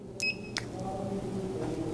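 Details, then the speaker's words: Electrosurgical instrument insulation tester, brush electrode set at 2.8, painted along an instrument handle: sharp high beeps and arcing fire repeatedly, showing numerous pinhole breaks in the handle insulation. "and you can hear there's just numerous braks in this specific handle with this accessory"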